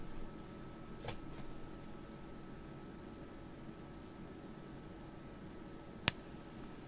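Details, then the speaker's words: Amplifier with no signal playing gives a steady faint hiss, a thin high whine and one click. Transformer whine was suspected, but after rewiring to the bridge terminals the noise got louder, disproving that; an oscilloscope check on both channels is planned. "Oh shit, okay, it's actually way louder. Well, there goes my theory out the window for this amplifier at least anyway."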